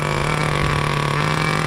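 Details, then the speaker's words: 2002 Tamiya Terra Crusher 1/8 nitro monster truck starting cleanly: high, buzzy, steady even note with fast regular firing, throttle raised slightly; normal start-up, though transmission still slips and motor runs hot. "Look how great it starts. Amazing. Gotta raise the throttle a little."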